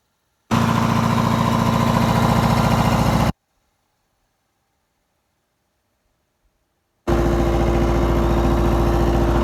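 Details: MEP-003A 10 kW air-cooled diesel military generator, started without glow plugs: catches instantly, settles into steady even low chug, stops, restarts just as smoothly; exhaust barely puffs; normal idle.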